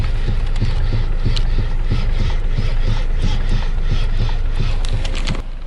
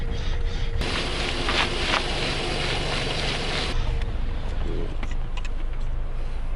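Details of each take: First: Geely Atlas: dull, fairly quick knocks, about three a second, while the steering wheel is turned with the car standing; steering column knock, owner plans a common fix, else dealer warranty diagnosis. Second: Geely Atlas idling with a low steady rumble while the wheel is turned, no knocks heard after a part was tightened about half a centimetre to cure a previous knock.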